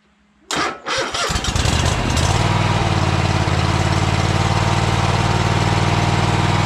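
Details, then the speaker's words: Troy-Bilt Horse tractor engine after fuel pump replacement: cranks a few turns, catches and settles into steady even idle; earlier smoke was from tipping it on its side, now clearing; starts and idles normally. "yeah it ain't smoking no more let me turn it off we don't need to be wasting any gas we know it runs"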